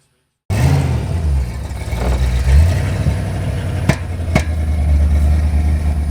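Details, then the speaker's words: Fox-body Mustang V8 while driving, check engine light on, popping in exhaust and intake: deep rumble with uneven, lumpy beat and occasional stumbles in the exhaust pulse; misfire. "It's popping in the exhaust. It's popping in the intake."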